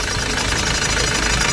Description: this video shown the reason in squeaking sound of the engine. the sound is came from the front part of the engine. this squeaking sound problem is came from between the engine belt and the pulley or tensioner.